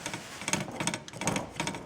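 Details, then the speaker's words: Bicycle crank after crank bearing replacement: a light scraping tick about three times a second as the crank turns, where the chainring touches the frame metal at one spot. "you can hear it's touching. This cogwheel is touching this metal."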